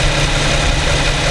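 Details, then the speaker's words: New 2015 Infiniti Q70 3.7 V6 at about 1300 miles, warmed up, idling in drive, recorded at night with a Rode VideoMic Pro: a quiet, smooth, even idle hum with no ticking or roughness; normal warm idle. "got more sound here from the Infiniti 3.7 V6 engine. Pretty quiet. This is in idle,"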